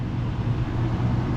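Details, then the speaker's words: Dumpster-salvaged refrigerator just plugged in, set to coldest, freezer fan heard up close: low, steady hum with soft whoosh of moving air, no ticking or scraping; fan spins freely, normal. "Alright, and if we go up here in the freezer, we should find a fan that's spinning. And sure enough, we do. You can even hear it."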